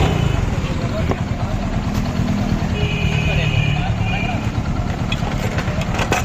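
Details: Hero Glamour motorcycle after piston ring fitting, engine sound problem solved; single-cylinder ticks over steadily with even low thump, no knocking or slapping; normal running.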